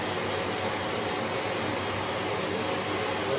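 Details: Hoover HL500PT vacuum, ex-display listed as not working: motor works, red light blinking, brush roll not spinning; steady even suction-motor whir with no beater-bar thrum; likely safety cutout switch not closing.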